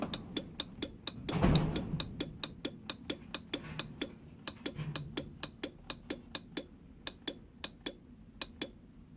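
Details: Honda NSR motorcycle won't start on the electric button but bump-starts first time; rectifier already replaced without fixing it: steady light ticking about four times a second with no cranking or firing.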